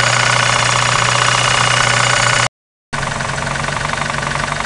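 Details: 1993 Eagle Talon turbo, stock 7-bolt 4G63, at idle with a sharp regular knock about four per second; confirmed by oil pan removal as a spun connecting rod bearing with play on the crankshaft, i.e. rod knock.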